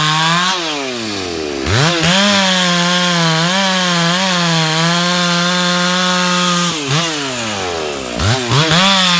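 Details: Stock MS461 with eBay ported muffler, well worn, over a year of cutting; hand round-filed chain used a week, no touch-ups; felling cut in big northeastern red oak, camera a ways back. High steady scream barely sagging, no chatter: sharp chain cutting under load.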